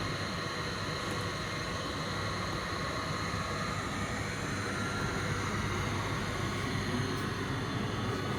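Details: Logik LCD7W18 condenser tumble dryer, bought as tripping the fusebox, tested with a wet towel after lint-clogged housing was cleaned: even, steady rushing hum with soft drum tumble, no knocks or tripping; runs smoothly and dries, fixed.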